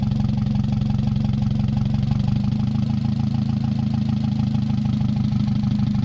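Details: Mazda 626 first start after cylinder head reassembly, rest of exhaust not connected, oil overfilled: low idle with uneven lumpy pulse, slight speed wavering and vibration. Owner suspects O2 sensor misreading the open exhaust, possibly old gas. Rough fluctuating idle.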